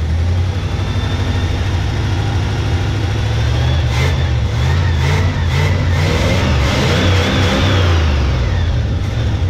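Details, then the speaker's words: 1971 Chevy K10 4x4 pickup, small-block 350 V8, restarted after sitting about 10 years, choke on: slow, loping, uneven idle with stumbles; carburetor gasket dry-rotted and leaking; owner suspects the old gas causes the low rough idle. "It might be idling low right now due to the just because of that gas."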